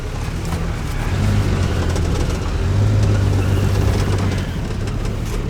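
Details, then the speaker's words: Dodge Dart Swinger 225 Slant Six, revived survivor after short drive: steady even idle rumble, no bearing noise or looseness, motor sounds good; but oil leak and hard oil-pressure light at idle, mechanical gauge check planned. "It's not making any bearing noises. Nothing sounds loose. I mean, the motor sounds really good."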